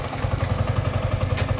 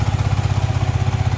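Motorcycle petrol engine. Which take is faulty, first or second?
second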